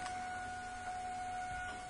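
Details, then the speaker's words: 2000 Trans Am WS6, key cycled to prime in-tank fuel pump for decay test, about 60 PSI wanted: steady clean high-pitched hum, pump runs strong with good pressure. "can you hear the fuel pump runs really strong and we've got pretty good fuel pressure there"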